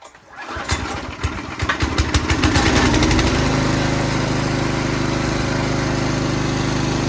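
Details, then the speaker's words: Craftsman rototiller single-cylinder gas engine after spring maintenance and cleaning: pulls a couple of times, catches and settles into a steady, even run with no misses or knocks; runs really good. "Well, it runs really good, and I hope you learned something from this video"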